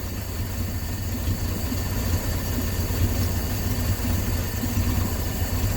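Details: 1968 Dodge C600 shop truck, not run in nearly a year, carbureted V8 idling slowly and evenly around 420 rpm on the tachometer during mixture screw adjustment, steady beat with no stumbles; normal low idle.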